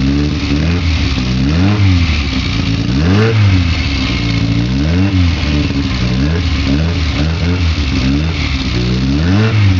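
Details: Engine on Weber 40 DCOE carburetors: engine speed keeps surging and dropping in uneven swells instead of holding a steady idle; an unstable, hunting idle, cause suspected, not confirmed.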